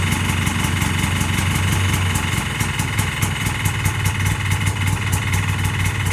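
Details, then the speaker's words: 1981 Yamaha G1 golf cart single-cylinder engine, ice cold, first start after rebuild once the fuel pump was re-primed; ticks over at a steady, even beat with no knocks or misses. Normal idle. "Turns out I had to prime the fuel pump again, and as soon as I turned it over, it fired."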